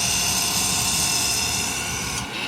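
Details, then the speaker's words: Turbine starter on a demo cart during a simulated start: after starter engagement, starter fuel ignites and burns in the combustor. A loud, steady high whine as the starter motor ramps up, easing off at shutdown: a normal spool-up. "get starter engagement start fuel and then we just heard some ignition and you can hear that there is a small amount of fuel burning inside the combustor of the starter fuel and i will have starter motor ramped up"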